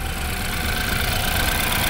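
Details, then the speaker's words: 2015 BMW X3 N20 with a blinking check-engine light and rough, shaking running, misfire codes including cylinder 2: rough, unsteady idle with an irregular low chuff in the exhaust beat; an ignition analyzer shows no spark in the cylinder, from a failed ignition coil. "what's that fellas that is no spark entering the cylinder no spark entering this in there"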